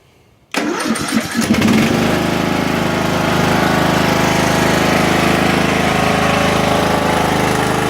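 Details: Craftsman LT1000 riding mower after electrical rewiring (new kill switch, headlights): some throttle, quick crank, catches at once and settles into a steady single-cylinder putter with no misses or knocks. Normal start and idle.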